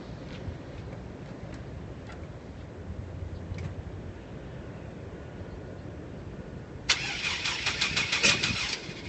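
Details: GMC van cranks fast and evenly but never catches after about 10 minutes of trying; it rained the day before and owner suspects water in the tank, others suggest a weak battery or starter; crank, no start.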